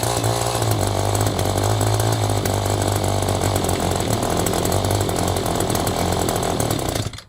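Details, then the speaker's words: Echo GT-200 string trimmer with an aftermarket carburetor, being adjusted after the fuel lines and diaphragm were redone: small two-stroke buzzing fast and steady, spinning the head at idle; idle speed too high. "Okay, we got to slow it down a bit as the head's spinning."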